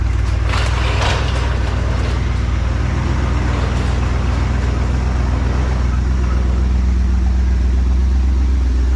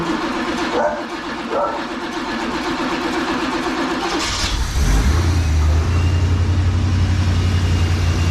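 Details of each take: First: 1986 Trans Am, sitting 17 years, after carb, fuel tank, intake and fuel pump work; cold start, dwell between 30 and 35: steady, even low rumble with no misses or knocks, settling into a smooth idle while warming. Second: 1986 Trans Am, sitting 17 years, after carb, fuel tank, intake gasket and fuel pump work; cold start with choke set and fuel squirted: cranks, catches, runs rough a few seconds, then sags unevenly toward a stall, cause unconfirmed.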